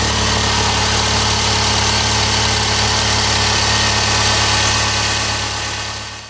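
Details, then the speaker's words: Subaru petrol engine, about 80,000 on it, idles smoothly and quietly with no slapping or knocking after a timing belt replacement; the cold-start noise was a loose belt, likely from a lazy tensioner. "If you got a real noisy Subaru engine on startup, I'd have your timing belt changed or checked, or at least that tensioner pulley replaced. I think that was probably the problem. Now it's nice and quiet."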